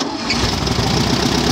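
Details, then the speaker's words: Mini buggy with VW Beetle flat-four after carburettor fitted and adjusted: brief crank, catches at once into a steady, even idle, starting cleanly; slipping belt noted, ignition timing still to be set. "Ah então tá sim ó beliscou pegou né pode desligar o Oi pode ligar de novo"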